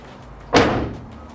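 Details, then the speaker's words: 1995-99 Mitsubishi Eclipse driver's door closes with a single solid slam and no glass rattle after the window was reinstalled with felt and two mounting tabs; the loose window mount had let the glass flop inside the door. "you can hear it doesn't rattle around anymore when i close the door i'm pretty sure that that was this mount it was just the window was just flopping around inside of the door"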